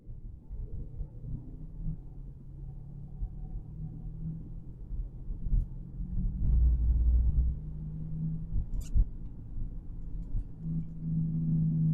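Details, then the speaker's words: Chevy Equinox 2.4 driving: low steady roar from the front end swelling with speed, a bad front wheel bearing, fixed by replacing the front bearing. "right that roaring noise is very annoying for sure guys"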